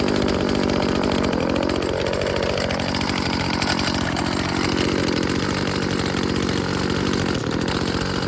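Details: Old Stihl FS36 two-stroke string trimmer tested outdoors: steady high buzz that holds its revs without stumbling. Runs cleanly, though its on-off switch doesn't work and it is stopped by choking.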